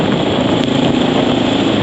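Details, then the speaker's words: Honda XR650L with Lex exhaust, silencer tip in: a loud, hollow, steady single-cylinder idle thump, much louder than normal for this setup; the owner suspects the exhaust packing needs redoing. "that's with the silencer tip in. Normally the Lex exhaust with the silencer tip in on this bike would be too quiet."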